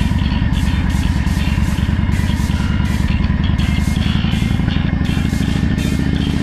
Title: Ducati 1098S Rattling noise problem